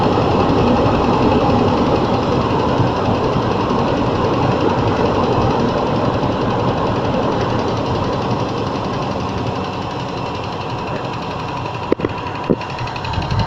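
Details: Range Rover II, cold engine: a steady rapid ticking knock of about four per second rides over the idle, the kind that fades once warm; the cause is suspected but not confirmed.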